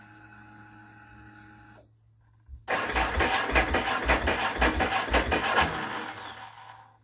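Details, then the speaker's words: Ducati 749S, about 42,234 km, not started for several months: starter drags over slowly at about three labouring beats a second, then fades out without firing; weak cranking from a low battery, checking whether an error code appears. "[Applause] low battery see if the error code came up"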